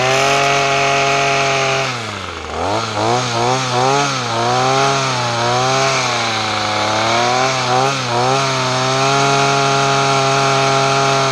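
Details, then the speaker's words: Weed trimmer after fuel system repair and new parts, choke off: buzzy two-stroke revs up and drops back cleanly several times, then holds steady idle; runs well, may need slight tune-up. "if I go away but both its running that's good news I may have to kind of like tune up a little bit but that's okay though"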